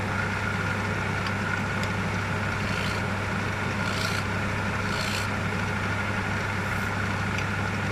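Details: Wood lathe finishing a hornbeam platter: steady low hum with light tool scraping, smooth even spin with no knocks or rubbing, after an undisclosed earlier fault was found and fixed; normal lathe run.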